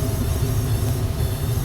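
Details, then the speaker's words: Gas furnace after its failed control board was replaced with a Honeywell universal board: spark ignites the pilot and the burner lights. Steady low roar with no popping, surging or flame-out; normal burner operation, though the new board's LED flashes a code. "Let's turn on the gas. I see a pilot light. Oh, we got a burner."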